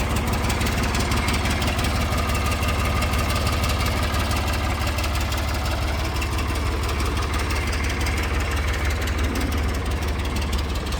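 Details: Ford New Holland 445D tractor diesel after major maintenance, started in neutral and low range and warming up: steady, even idle clatter at about three beats a second with no misses or knocks; healthy.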